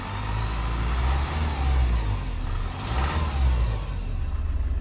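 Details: 2007 Honda CR-V RE6 2.2 i-CTDi diesel revving gently: thin, steady whine over deep rumble since OEM timing chain kit replacement, persisting after a second replacement; belt accessories ruled out; vacuum pump and upper cam bevel gears remain original, cause unconfirmed.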